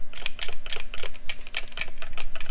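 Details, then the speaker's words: Diesel truck transmission solenoid pack, removed and shaken by hand; the truck had an overdrive-light code and no torque converter lockup. A quick, loose clicking rattle shows a part has come apart inside one of the solenoids. "I'm pretty sure that's not supposed to do that there's something that has come apart in one of these solenoids you can hear it and feel it"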